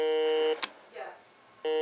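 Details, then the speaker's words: Heathkit GD1190 metal detector that once worked then quit: a steady, unchanging electronic buzz that cuts out and returns the same, unaffected by the discriminate, normal or total settings; abnormal buzzing, cause unknown. "it makes no difference. So as far as I can tell, the buzzing definitely ain't normal."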